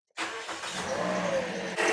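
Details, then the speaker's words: 2009 Toyota Corolla that ran very rough, started after fuel injector replacement: engine catches straight away and settles into a smooth, even run with no misfire or stumble; sounds much better, no fuel leaks, normal start. "Oh, that sounds so much better. So much better."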